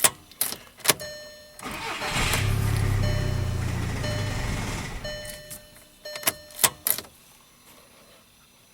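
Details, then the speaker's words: 2009 VW Jetta TDI, CBEA common-rail diesel: starter clicks, engine fires and runs a few seconds then dies every time; sometimes runs slightly longer. Immobilizer light not flashing, no engine trouble codes; starts then stalls, cause undiagnosed. "It starts and dies every time. Let me show you what it's doing."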